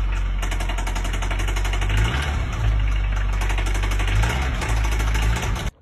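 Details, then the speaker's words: VW Golf 7 R-Line at idle: a fast steady metallic knock over low rumble, two knocks. One from the cylinder head, intermittent and possibly hydraulic lifters as oil pressure builds. One from the block, possibly big-end or main bearings. "it's got two knocks one from the cylinder head another one from the Block the block could be big and bearings main bearings whatever"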